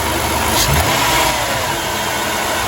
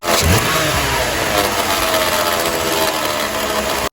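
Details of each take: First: 2006 Dodge Grand Caravan petrol V6 after replacing the alternator decoupling pulley, tensioner and serpentine belt. It blips briefly and settles, quiet with no belt-drive rattle; the marble-like rattle at idle and deceleration is fixed. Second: 2006 Dodge Grand Caravan V6 at idle, busy gritty rattle like marbles in a blender, worse when decelerating, amplified with a screwdriver on the alternator case; failed alternator decoupler pulley.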